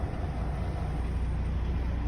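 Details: Truck diesel idling just after startup during an in-cab CDL pretrip inspection, oil pressure rising and ABS light going out; low, steady rumble heard from the cab with no misses or knocks; normal idle.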